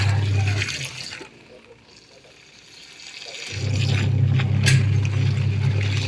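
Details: Singer twin-tub washing machine that washed weakly, after replacing the worn drive belt, washing with clothes and water: steady low motor hum, pausing about two seconds then resuming evenly; normal wash cycle.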